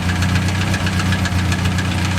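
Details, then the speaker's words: Crosley engine, near-cold start on a roughly 90°F day, 40+ psi oil pressure, running on stale gas: steady low idle with a light, quick ticking riding on top, spaced with engine speed. Source of the small top-end tick not identified. Ticking noise at idle. "got some kind of little cppy noise there I ain't sure what that is"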